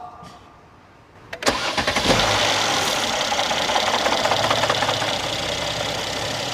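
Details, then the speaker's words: Mercedes-Benz M276 engine on cold start: fast busy metallic rattle over the idle, diagnosed as failed timing chain sprocket, to be replaced. "这276的这个发动机啊，大家最熟悉不过了。这个声音一响起来，证明什么？它的链轮坏掉了啊！"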